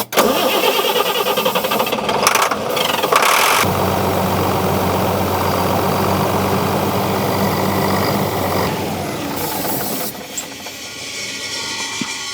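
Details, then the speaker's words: Diesel motorhome stored for three to five years. The starter cranks at about four turns a second into a long droning spin, then winds down without catching, even with the crankshaft and camshaft position sensors disconnected: crank no start, cause not yet found. "Now, we tried to make it run with the disconnect crankshaft cam shaft position sensors, but it didn't help."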